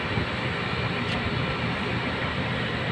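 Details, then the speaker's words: Aircon condenser fan motor after bearing replacement, reinstalled in the unit: steady even whoosh spinning smoothly, no grinding, squeal or rattle, now quiet. "maganda yung ikot niyaa Wala ng tunog so Ayan na nga siya tahimik niya wala ngaga na marinig"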